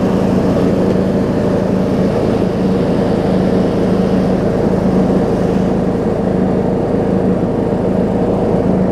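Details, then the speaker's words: John Deere D105 riding mower, 62 hours, revived after sitting unknown time, mowing: even, steady engine hum with no stumbles or surging, running better than before; smooth running. "You can already hear it running a little better."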